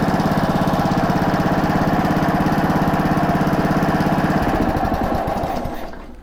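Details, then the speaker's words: Honda mower single-cylinder, started cold on choke after a new plug and carb cleaning, chugs at a steady even beat, then slows and dies out; runs cleanly, throttle cable needs adjusting. "i could say that surprised me but it didn't so it runs that's good"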